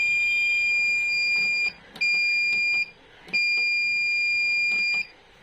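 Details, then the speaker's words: V-Guard Jadoo 1050 inverter: loud high-pitched alarm beeps over a second long with short gaps; technician suspects gate problem. "देखि back आके humming sound कर रहा है ठीक है हमिंग न आ रहा है तो मतलब गेट में कुछ प्रॉब्लम होगा"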